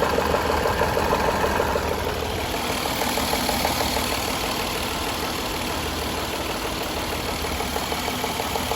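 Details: 2014 Jaguar XJL Portfolio at idle: light even tick about three times a second, valvetrain-type ticking; cause not determined.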